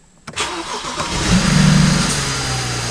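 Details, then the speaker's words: BMW N54 cold start after replacing vacuum lines with silicone, intake cover removed: catches first crank, loud raspy fast idle with strong intake roar; owner notes oil on rear-turbo intercooler inlet and slight white smoke, suspects turbos. "what is that noise oil we worse I completely forgot that I completely forgot that when what do you don't have a cover on it's like super loud that was loud like sheesh"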